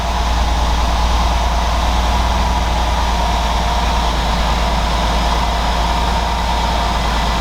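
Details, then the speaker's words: 2013 Mercedes GL550 after a failed alternator's voltage regulator was replaced, no codes and no bad-battery warning: smooth, even low idle with a steady rumble and no knocks, misses or whine; normal idle, believed fixed. "So I believe we fixed it, guys."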